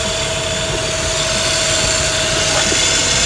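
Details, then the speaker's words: 131k-mile Mazda RX-8 R3 rotary at idle with a loud steady hiss and a thin whistle. The owner listens for vacuum leaks but is unsure one is present, and the source is unconfirmed. Possible worn engine or ignition issues are suspected. "See if you can see or hear any vacuum leaks. sure if that's a vacuum leak I'm hearing."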